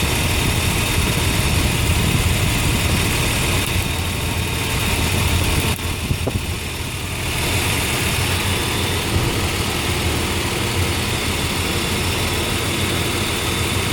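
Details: Nissan engine at idle with low, poor power: ragged idle with an uneven, lumpy beat, likely a misfire. Owner is checking for high-tension wire leaks with a DIY pen leak tool; cause unconfirmed.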